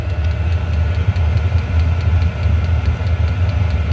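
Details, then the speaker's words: Diesel heater after teardown and deep soot clean (owner unsure if mixed fuel or just maintenance caused failure); steady burner roar, pump ticking evenly about three per second, no sputter or surging, getting hot as pump slows after startup; running properly. "It is getting hot. Now the pump's slowing down after it started up."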